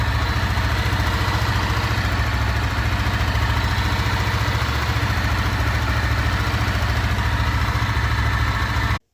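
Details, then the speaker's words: 2025 Honda Sahara 300 single-cylinder motorcycle: a loud but even idle with steady firing pulses and mechanical clatter, with no irregular knock or miss. It is normally noisier than the more enclosed CB300 Twister, so this is its normal sound. "Mas você acha que a sua Saara tá com problema no motor? Não, rapaziada. É o barulho normal dela."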